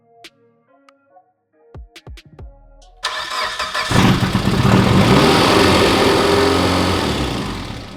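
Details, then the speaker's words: Mitsubishi Evo 8 rebuild (Manley rods, Wiseco pistons, HKS 272 cams) first start with lifters bled of oil: beeps, crank, catch, revs climb with light quick clatter; expected lifter tap settling, not rod knock. "is there gonna be clinking for our No ten seconds maybe so don't bash me in the comments for a rod knock when it's just some whisper tap"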